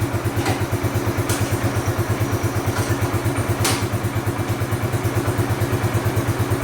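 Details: Bombardier Quest 650 ATV engine idling steady and even with no misses or hunting; the high idle had left it partly in gear and hard to shift out of park.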